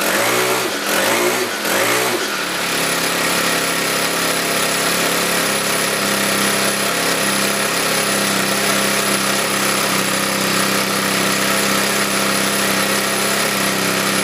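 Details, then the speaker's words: 4-cycle Weed Eater trimmer after carb rebuild and recoil repair; a few pull-start cranks, catches and settles into steady, slightly high idle, even with no misses, blowing off some debris; normal idle. "okay I think it's very successful like I said there's only the idol these do like to round up a little higher at least it sounds like it's higher"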